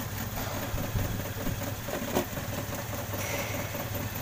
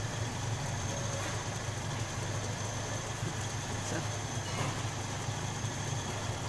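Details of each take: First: Toyota Kijang Krista 5K/7K engine at idle: low uneven idle with irregular stumbles, a misfire with loss of power; pulling plug wires traced it to a cracked spark plug. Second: Toyota Kijang Krista 5K/7K petrol engine that stumbled and lacked power, now running smoothly at a steady low hum with no misfire after the spark plug fault was fixed.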